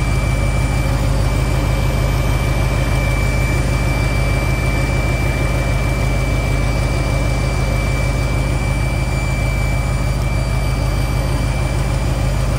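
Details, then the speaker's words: G-body SS V8 idling during an Edelbrock 650 carburetor rebuild: a thin, steady high-pitched whine holds constant pitch above a deep, even idle. The source is unknown; the owner wonders if it follows cleaning the carburetor, and fuel pump trouble was also mentioned. "what the hell is that whining [Music] no y'all hear that whiny noise"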